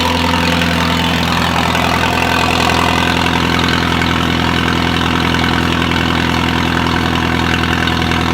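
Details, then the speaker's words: Car started after it rolled three times: steady idle with a raspy, puffing tick pulsing about four times a second from an exhaust leak; exhaust should sound deeper once fixed. "so it sounds good but it just has that exhaust leak sound too right now which I don't like"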